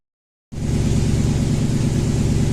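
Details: Toyota Tundra (stated as 2012 and 2000), 282,000 km, sat about a year, misfire codes on cylinders 3 and 8, idling: loud idle with a low, uneven beat and a repeating skip; cylinder 3 misfire from a failed ignition coil.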